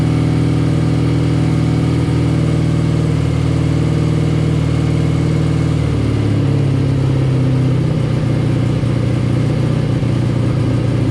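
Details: Classic BMW R65 boxer twin (about 1983–84), on partial choke: a deep, steady boxer idle with no clunks or stumbles that settles to a slightly lower, smooth beat after a few seconds. Healthy engine; the left side smoked.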